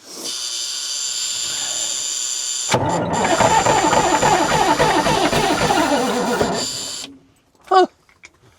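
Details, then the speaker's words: Rare big-power diesel truck being revived: starter grinds steadily for about four seconds but the engine never fires, with ether on standby; the crew suspects fuel and primes it, after which it starts with 70 psi oil pressure. "I think it's fuel, dude. Hit it. See if it does again."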